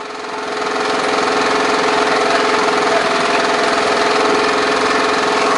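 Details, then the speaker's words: Briggs & Stratton lawn mower engine over-revving, running high with a ragged, uneven beat and occasional bangs plus a little smoke; the oil level is high, and water left in the carburetor is suspected. "I don't really like the way it's running there's a little bit of smoke but I know that uh the oil level's a little high sounds like something's banging a little bit"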